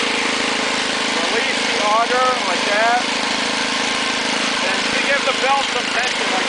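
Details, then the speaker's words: Ariens two-stage snowblower with 6 hp Tecumseh engine, trash-picked, started with a little choke, throttle on fast, auger off: small single-cylinder runs at a steady, even pace with no misses or surging; engine and carburetor working well, normal running. "And yeah, the engine runs super good. The carburetor works awesome."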